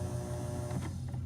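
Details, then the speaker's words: Kenmore humidifier fan motor after oiling its bronze bearings and shaft with light 3-in-1 oil: smooth, steady low hum with no rubbing, ticking or wobble; turns easily, normal run, bearings possibly somewhat worn. "And now when I have it plugged in, you can see that, and I turn it on, it turns, you know, easily now."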